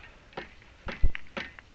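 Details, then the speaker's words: Sprinkler system on an Irritrol RD-1200-R RainDial 12-station timer, around 61°F, happening on any station (4, 7). The zone valve rapidly snaps on and off with sharp thuds and water hammer banging the PVC pipes; cause unknown. "water hammer turns on off real quick DP dump dump I don't know why"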